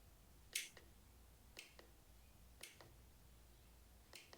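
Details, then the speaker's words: 12V relay added for a hidden forward/reverse switch via an 8-gang switch panel on a custom Club Car golf cart: four crisp double clicks about a second apart as the relay switches cleanly. "now once I hit this right here switch the LED light on that fuse will come on the red fuse right here and you also hear the relay clicking"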